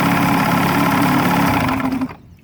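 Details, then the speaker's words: 35hp Evinrude outboard, model E35ECIG, after tightening the loose nut on the neutral safety switch that caused a no-start: catches and settles into a steady even idle with no misses or knocks before shutoff; running normally. "So I tightened it back up, got this back into a better position. So I think we're working good now here. So now that I have it tightened back up, we shouldn't have any issues."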